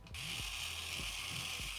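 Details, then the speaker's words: Sony SEL1650 16-50mm kit lens (on A6300), powered on and extended: thin steady high whine with soft clicks about every half second from inside the lens, returning when turned sideways; cause unknown, owner has found nothing moving inside after taking three of these lenses apart. "Isn't that just the best? It's the best noise. I don't know why it's making that noise."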